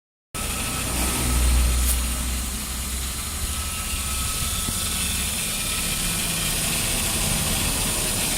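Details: Power steering pump whine on a Toyota Corona Premio at steady idle: thin, constant mid-pitched hum over the engine, not changing with speed; power steering suspected, not confirmed.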